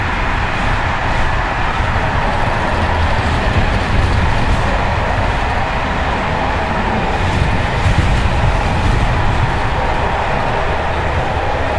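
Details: Evening express run on Czech line 190 (České Budějovice–Plzeň), between Hluboká nad Vltavou and Číčenice, in coach Bd264 481 (built 1979), recorded from the compartment or an open window. Loud continuous clattering over steady rail roar at speed as worn Görlitz V bogie brake rigging bounces.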